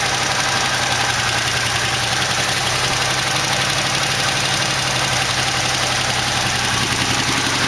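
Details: 1968 AMX, 401 V8 swapped in for the 360 Go Pack, first start after carb work: lumpy uneven idle with light fast ticking on top; a lifter was later found worn so badly it had a hole in the bottom.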